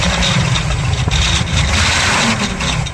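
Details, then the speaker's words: Cold start of a vintage sports car with a known misfire: rough, uneven idle with stumbling low pulses, needing a little throttle to keep idling; cause of the misfire not stated, still drivable. "And just before I start, because there's a misfire, I do have to give it a little throttle to keep it idling. Not a big problem. Still completely drivable."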